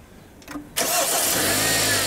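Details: Kia G4KD 2.0 petrol engine, just reassembled after liner sleeving repair for knock and scored cylinders, cranks briefly, catches cleanly and settles into a steady, even idle with no knocking: normal start and idle.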